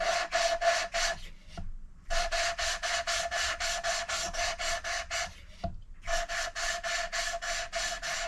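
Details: Hand-lapping a valve with coarse paste and gentle downward pressure: rhythmic back-and-forth rasping, about three or four strokes a second with short pauses; contact patch not yet clean, seat not mated.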